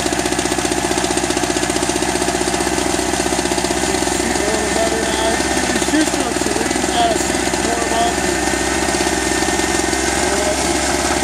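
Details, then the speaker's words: Eagle River ERG1200 two-stroke generator, first start: rapid uneven tapping over buzzy drone; owner suspects poor lubrication as oil smells plasticky, cause unconfirmed; engine knocking. "i don't like that knocky sound i gotta pull the oil out check it out"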